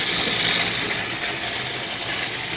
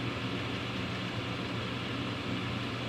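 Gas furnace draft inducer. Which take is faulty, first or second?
first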